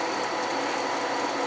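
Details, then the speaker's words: Small water pump and fan on a Chinese-made blacksmith induction heater (220 V, 50 A circuit), started before the heater is switched on; steady even whirring hum with light mechanical chatter, no surging or cavitation, running normally. "We're going to plug in our fan and our water pump. I didn't put a switch on. That starts that. Hear the water pump running."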